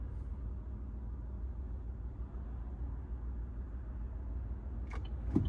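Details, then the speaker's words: Chevrolet Trax Crossover idling in gear (Drive) at night: low steady drumming hum with strong engine noise and vibration, quiet in Neutral; owner suspects passenger-side engine mount, not confirmed. "그래서 엔진 소리, 강하게 나오는 엔진 소리 플러스 진동, 엔진 진동."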